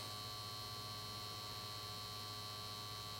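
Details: 1953 Chevrolet Deluxe Two-Ten tube car radio, model 986668, vibrator supply at 6 V, about 600 mA, B+ climbing toward 255 V while capacitors reform: quiet steady buzz-hum, no crackle, stutter or dropouts; normal vibrator power supply, test judged successful.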